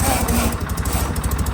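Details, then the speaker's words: John Deere 316 tractor at full throttle: steady, fairly low-pitched single-cylinder drone that never climbs; throttle cable sleeve keeps slipping through its crimp, limiting engine speed. "This is full power right here. That's not gonna work for me."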